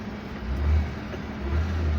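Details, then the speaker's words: Iveco Genlyon 682 truck on a road test after a rebuild of its Fuller 12JS160T gearbox (the shifts need careful timing): short pull, the engine rising smoothly under load with no grinding or clunks; the gearbox shifts well, normal operation. "ይሄን ይመስላል እንግዲህ ቆንጆ ነው በጣም ማርሹም አሪፍ ነው።"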